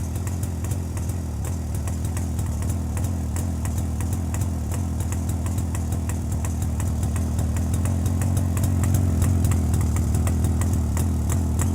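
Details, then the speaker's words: Jawa 350 two-stroke idling with a rebuilt electronic ignition circuit replacing the cam/points system, carburettor already set: soft even popping about three beats a second, rising slightly with a little throttle near the end; smooth. Normal idle. "і в цілому на холостих оборотах двигатель робить м'якше і в нього такі вихлопи такі пух пух пух"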